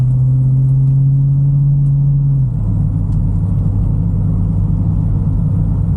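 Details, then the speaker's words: 1974 Bitter CD with Chevrolet 327 V8, warmed up, on a test drive under load after the misfire under load was fixed (HT leads replaced, cracked distributor cap, points and condenser replaced). Deep, even rumble pulls cleanly through the shift with no stumble: normal acceleration. "under load now and yeah sounds sweet as it should y yep sounds good Happy Days for"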